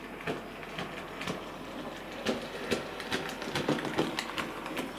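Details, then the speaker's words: Sir Walter Scott model locomotive, tender removed to rule it out, running forward and back: uneven light clicks and clunks about two a second, caused by a split axle drive gear. "now I've taken the tender off to make sure it's not the tender and you can hear that clunking"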